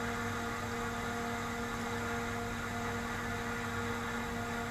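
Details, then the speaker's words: Tektronix TDS 420 oscilloscope at first power-on after being salvaged from a scrap box: a loud steady whir with fixed humming tones and a hiss on top. Finding: noisy cooling fan. "LEDs are glowing and I hear a really noisy fan oh listen to that fan"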